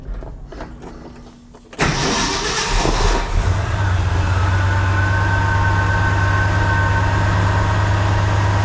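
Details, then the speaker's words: 1968 Ford F100, 360ci V8, after replacing cracked spark plugs with Autolite 45s: brief crank, fires right up into a steady even idle; the earlier ticking/arcing sound at the plug boot is gone, normal start. "And we're not getting that sound anymore. So you know, and the fact that she fires right up is also kind of exciting."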